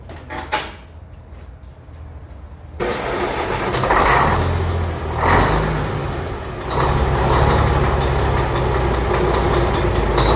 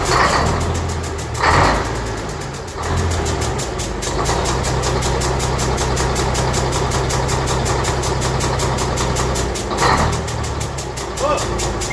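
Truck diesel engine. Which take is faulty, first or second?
first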